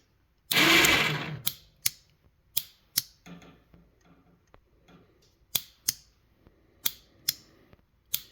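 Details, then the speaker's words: Badland ATV winch, jammed, only spooling out: sharp solenoid clicks in on-off pairs with no motor whirr; motor works on direct power, solenoid suspected defective with a broken internal contact, switch possibly water-damaged. Solenoid clicks but motor does not run. "now you can hear the switch working you couldn't hear the Solen before only when I apply power down there so it appears that our solenoid is bad"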